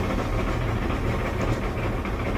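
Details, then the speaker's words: Electric LG dryer while drum turns: steady low rumble with dull uneven roar, usually a worn drum support roller, often one of the two front wheels; worn support roller. "here's the noise kind of a rumbly noise usually this is due to a worn out support wheel this dryer has four support wheels so you could purchase all four"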